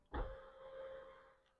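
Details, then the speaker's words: Panoramic roof opening: a short clunk, then a steady mid-pitched whirr fading over a second; the roof makes an odd noise when opening and closing, and the cause is not yet found. "Ovdje imamo i panorama krov, koji prilikom otvaranja i zatvaranja, kao što čujete, pravi neki zvuk."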